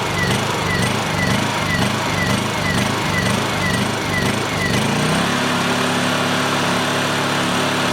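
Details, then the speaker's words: Honda EU2000i generator after carburetor cleaning, choke on, running without ether: pulses up and down about twice a second, then settles to a steady drone. The surging is suspected to be from a detached carburetor throttle return spring; the carburetor is to come off to refit it. "Okay so I just caught something here and I got a feeling we missed a return spring somehow popped off that carburetor"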